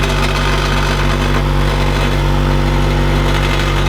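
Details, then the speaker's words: Honda Integra idling with aftermarket twin-loop muffler, previously patched hole: horrendous tinny rattle disappears while muffler is held by hand, leaving a steady even hum; broken muffler joint needing welding. "I know you guys can hear that because it is horrendous. So if I put my hand and hold it, you'll notice the rattling disappears."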